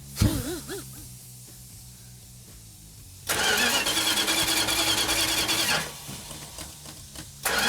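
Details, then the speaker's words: 72 Duster 340 V8 rebuild on its first start attempt, cold, distributor timing not yet set: the starter spins the engine at a steady beat but it never fires because the fuel system is still dry. "Hey, Mark, it's not firing. Well, there's no fuel in it."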